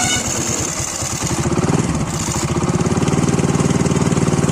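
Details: Hero motorcycle idling with a loose, rattling clatter on each firing pulse from the flywheel magnet; it fades when revved and returns as revs drop, often mistaken for timing chain noise.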